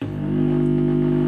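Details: Home theatre at switch-on on mains power: loud steady low hum with stacked buzzy tones that holds flat, traced to a faulty power supply filter capacitor.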